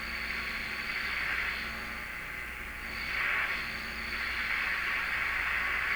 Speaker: still can't get 640 because of the noise right on top of it there